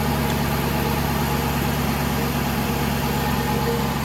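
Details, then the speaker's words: 2012 Aston Martin V8 Vantage, dead cold, gives a steady, even idle hum with a smooth low rumble and no knocks or ticks; a normal, quiet cold idle. "I mean, you can see this thing's dead cold. Quiet engine, runs phenomenally."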